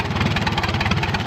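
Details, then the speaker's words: 1936 Allis-Chalmers WC tractor barn find, first run in over five decades: even, regular low chuffing about ten beats a second with no misses or knocks; engine idles smoothly, though water is spilling from the radiator. "But the engine, the engine sounds good. Look at the plus side here. It's got potential to be a really nice machine."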